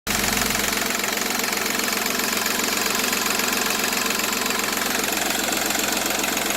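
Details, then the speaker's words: Seat Ibiza 1.4 TDI three-cylinder turbo diesel with 205,000 km at idle: steady even diesel clatter, smooth rhythm, no misses or heavy knock; runs like a new engine. "Vedete, questo è un motore che ha 205.000 km, ma veramente gira come un motore nuovo. Seat Ibiza 1400 turbo diesel, 3 cilindri."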